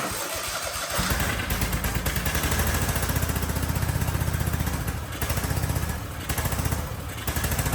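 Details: Husqvarna 2554 riding mower (barn find) with intake manifold and air box removed, running only on brake cleaner sprayed in: uneven lumpy firing about four pulses a second; the carburetor is gummed up.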